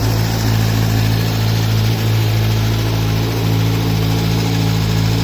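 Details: Kawasaki Z900 with 5000 km, cold start at idle: light, fast ticking about three a second over the steady hum, gone once warm; owner suspects cam chain tensioner or valves, dealer says normal; cold-start ticking/knocking at idle.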